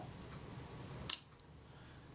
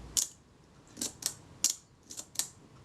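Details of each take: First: Kodak Retina IIIc shutter after servicing, cocked and released at a set speed: quiet wind-down, one crisp shutter snap and a lighter click. It fires cleanly and trips the flash contact. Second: Kodak Retina IIIc shutter after cleaning, slow-speed test at 1/8 s: short snap with barely any buzz, running fast; slow-speed retard gear train not engaging the speed-setting cam enough, needs moving inwards.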